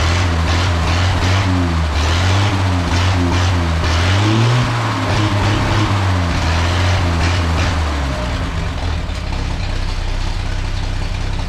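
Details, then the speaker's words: Old straight-six petrol engine at idle after the exhaust leak repair and separating the touching plug wires. A deep, even burble and steady low rumble with no ticking or puffing; normal healthy idle. "oh man she sounds so good i can't wait to take it down the road get it under a load"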